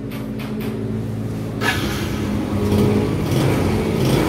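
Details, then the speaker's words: Yamaha Jupiter Z carburettor after full service, spark plug cleaned (was reading too lean): a few light ticks, then fires straight away since carb already filled with fuel, holding a steady low idle that rises slightly; clean start before mixture adjustment. "ya ini langsung nyala karena untuk e karburator sudah langsung terisi BBM"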